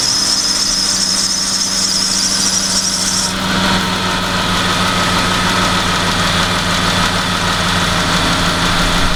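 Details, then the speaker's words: Idling car engine with a high steady serpentine belt squeal; spraying water onto the belt's inside stops the squeak immediately, pointing to a bad belt. "as you saw when we applied the water onto the inside of that belt the squeaking noise immediately stopped so that's uh that's going to point us in the direction of it being a bad belt"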